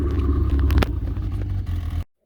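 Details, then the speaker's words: Yamaha RX1 snowmobile after fixing ignition coil arcing from rust and a gummed-up carb: deep, steady rumble with an even beat and no stumbles or skips; runs smooth and clean, the misfire is gone. "okay well it definitely runs better"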